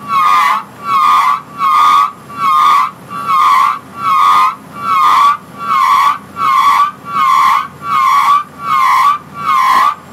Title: (Curmit) Draw works brake noise